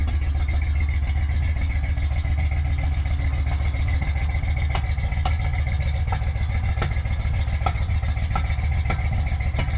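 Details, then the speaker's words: Foxbody Mustang V8: a deep, steady idle broken by occasional sharp pops at irregular intervals. This is a new symptom, likely a spark issue with a plug not firing every time while the cylinder fills with fuel. "okay now this is actually new it's not been doing this so you hear that pop typically that's going to be a spark issue"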